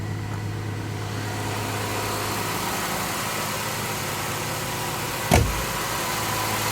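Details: 1984 Jaguar XJS V12 after Auxiliary Air Valve rebuild (new spring, piston, gasket), just started cold: smooth, even, slightly raised fast idle with steady hum and one brief click near the end; normal cold high idle, expected to drop when warm.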